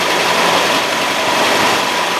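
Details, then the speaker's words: 1965 Mustang carbureted V8, 20 years in storage, freshly rebuilt carburetor with accelerator pump linkage adjusted, idling before warm-up: steady, even idle, smooth hum, no misses, knocks or stumbles; sounds healthy. "oh I know it's for future for future information that sounds pretty damn good"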